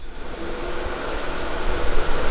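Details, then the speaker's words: Main front cooling fans of the Top Gun project vehicle switched on from the programmed keypad's first button, putting out a strong, steady low rush of air pulling through, no rattle, scrape or wobble; normal cooling fan operation. "main fans are running and those babies put out some air put a piece of paper over this and show you [Music] works pretty well those fans are really really pulling some air in here cooling down the garage nice"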